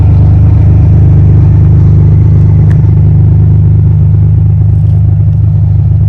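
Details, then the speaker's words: 1998 Ferrari 456 GTA naturally aspirated V12, recently out of long storage, just after startup: deep heavy rumble with a coarse buzzy drone on it; owner says it makes a lot of buzzing sounds, source unclear. "Now this car unfortunately will make a lot of buzzing sounds. It's kind of irritating, but I'll start it up."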